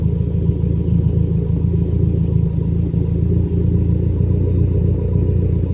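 Low rumbling idle with a slightly uneven beat, the odd soft stumble under the steady throb, a misfire that is now milder. Cause suspected, not confirmed.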